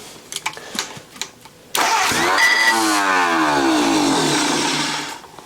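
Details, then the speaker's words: Junkyard Willys engine with a repaired Supersonic head, cranked on a jump pack: scratchy clicks, then harsh cranking with a rasping scrape that rises and falls. Probably the bell housing scraping on the concrete; a few pops heard, needs more fuel. "the starter sounds yucky but I think that's actually the uh my jump Pack's mad at me now I think that was actually the uh little bell housing thing scraping on the concrete"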